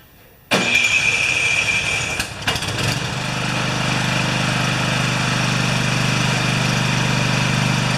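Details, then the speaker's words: Husqvarna snowblower with a 14.5 hp Briggs & Stratton OHV engine that only runs on choke: the electric starter spins about two seconds and the engine catches cleanly into an even, steady run. Easy, healthy start. "this one's pretty easy to start you just plug in this the starter which is your easy starters in this case and it should just catch"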